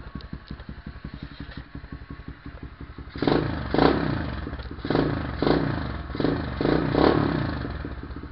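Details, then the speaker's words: SSR 125 single-cylinder with Mikuni 26mm carb and aftermarket intake, fitted with a new CDI box: fast even idle then repeated sharp throttle blips rising and falling cleanly; crisp response, noticeably more power. "Yeah, there's a lot more power. Remember, I just bought the CDI box for $6 and it has way more power."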